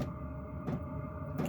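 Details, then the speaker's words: Newly installed Chinese diesel heater in a workshop, running at tick-over about five minutes after start: soft tick roughly every three-quarters of a second over a steady fan hum, the fuel dosing pump running normally. "so that little ticking you can hear is the pump"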